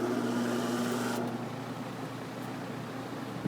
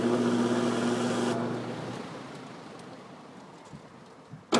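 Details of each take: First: Chelsea vent fan with a replacement quarter-horse 1750 RPM induction motor: low rumble, steady hum and scratchy hiss fading after a second from old, dirty brushes that get dirty again after cleaning; brush rumble and scratch on start-up. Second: Chelsea vent fan with a quarter-horse 1750 RPM repulsion-start induction motor, started and shut off right at the switch into induction to clean the brushes: steady low hum with rising tone, fading at spin-down, three times; normal start-up hum.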